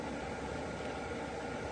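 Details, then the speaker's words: Heater in a shuttle bus conversion firing up and blowing hot air: a smooth, even rushing roar with a low hum underneath, no ticks or surges; normal running. "so I got all this done the heater sounds like it's firing up oh yeah hot air it's blowing hot air"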